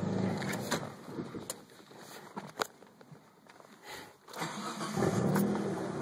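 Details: Engine restarted hot after about a 20-minute shutdown: it catches and settles into an uneven idle with irregular stumbles and a wavering note; rough idle, cause not stated.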